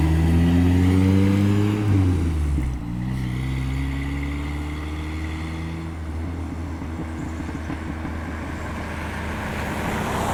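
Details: Toyota pickup 22R-TE, T3/T4 turbo at 8 psi, hi-flow cat, no muffler: revs drop back to idle, then raspy brrr pulsing about three times a second; exhaust leak at the wastegate.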